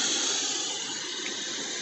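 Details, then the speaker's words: Genetry solar inverter at about 3000–3200 W load with reworked fan settings (175°F shutdown, transformer threshold raised about 5°F): steady soft airy hiss, no whine or rattle; fans much quieter, blowing lukewarm air, normal operation. "it is much much quieter though it's still doesn't blow super hot air or anything like that it's like lukewarm air and the fans are much much quieter"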